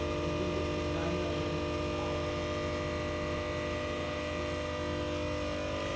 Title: stabilizer humming sound problem